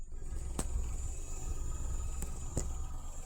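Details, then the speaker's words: 2015 Nissan Note at the tailpipe after replacing a faulty ignition coil found by coil swap: steady, smooth idle with no misses, misfire vibration gone, code to be cleared. "That vibration is gone. It's going to delete the code."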